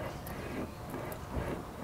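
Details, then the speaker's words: Audi A4 TDI front wheel hub, removed and corroded onto the suspension arm, turned by hand: a rough, gritty rumble from the worn front wheel bearing grinding inside; bearings being replaced. "so the issue that I've got is that this is kind of corroded onto the main arm so the wheel hub you can hear the actual bearing inside"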